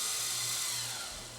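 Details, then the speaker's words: Fostex D10 DAT recorder after repair of its Error 02 fault: steady high-pitched whirr of tape spooling at full rewind speed, smooth and even with no scraping or stutter; normal rewind. "Stop and hit rewind. I guess I hit twice to go to full rewind."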